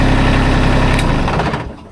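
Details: Kubota zero-turn mower that had refused to crank, after the simple fix was found: the small engine fires and runs with a quick, even putter for a couple of seconds before winding down; healthy start and idle.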